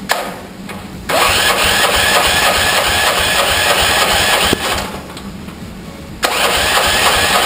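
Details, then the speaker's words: 13hp go-kart engine first start after sitting about 6–7 years, carburetor leaking: small single cranks and fires in rough bursts with a harsh irregular knock; cause of the engine knock unknown. "But yeah, I don't know what the knocking is. We're gonna try to start it up here in a minute and see what happens."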